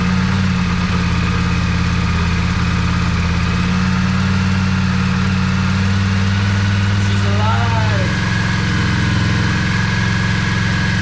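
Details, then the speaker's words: Yamaha Virago 535 V-twin after carburetor rebuild, bigger jets, gas-leak fix and battery charge, previously running on one cylinder; steady even low thumping, no misses, both cylinders firing, better throttle response: normal idle. "And she feels way better too. Like already I can feel there's more throttle response. Amazing."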